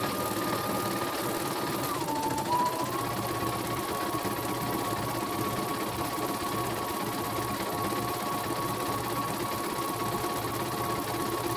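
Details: Embroidery machine after repair of a rough, growling rotation: smooth, even high-pitched whir at constant speed, no growl or irregular thumps, and the thread does not break. Normal stitching.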